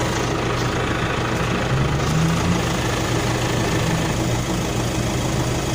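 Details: Nissan NP300 diesel idling with an uneven, lumpy beat and irregular shakes rather than a steady rhythm; rough idle, cause not evident or confirmed.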